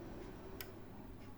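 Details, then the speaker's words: PC that powers on briefly, shuts off and restarts repeatedly: faint sharp ticks about a second apart from the power supply area while it cycles; owner suspects the PSU, not confirmed. "bunyi tek tek tek tek seper seperti itu yaah ini psunya conic Oke jadi ini Menurut saya kemungkinan psu-nya ya"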